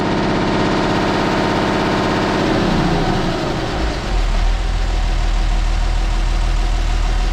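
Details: Perkins T6.3544 marine diesel after resealing and refitting the CAV injector pump, no pump leaks, warming toward operating temperature: even, steady idle with a low regular chug and no misses or knocks; normal idle.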